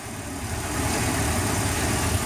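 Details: Petrol inboard boat engine after a fix for hard starting and low RPM (stuck at 4000 of an expected 5000): fuel restriction cleared. Steady, even low rumble over the water noise, with no stumbles, surges or knocks.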